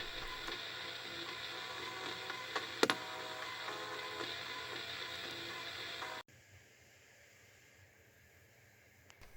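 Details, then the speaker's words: Gaelco World Rally (1993) JAMMA arcade PCB with missing or wrong sound and background noise, before repair: very quiet, thin looping game music with a brief crackly glitch, then near silence; sound output barely coming through. "pour ce qui est du sont effectivement on n'entend pas grand chose ici en tant que faiblement un bout de boucles sonores avec à chaque boucle un petit peu de sueur loupe par deux"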